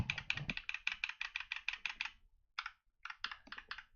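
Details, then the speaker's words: Mechanical keyboard switch compared with a freshly lubed one: quick, bright clacking keystrokes with a thin rattly edge, typical of a dry, unlubricated switch; the lubed switch sounds smoother and more dampened. "start the new switch definitely a lot smoother than before and the sound is a little bit camp and clear the difference you can hear their rattling in this one"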